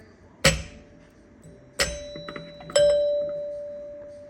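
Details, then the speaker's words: New lighted LED doorbell button (Kent) replacing a rotted old one, rear-door button tested on a two-chime unit. Three clean bell strikes decaying evenly, the last sustaining longest. Normal doorbell chime. "But, we'll give it a test. One thing cuz it's the rear door. So, it works good."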